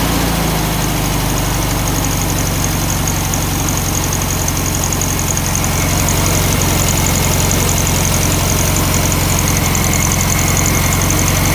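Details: 1964 VW Beetle low rider, air-cooled engine, after carburetor adjustment (possibly the butterfly) following weeks of issues: smooth, even putter holding steady speed without hunting or stumbling; carb set right, normal idle.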